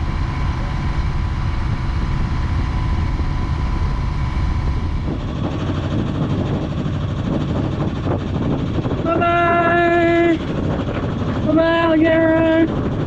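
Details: Sailboat's inboard diesel working again after an essential repair, under way from the marina: steady low rumble under wind and water noise, with horn blasts over it, running evenly. Normal running.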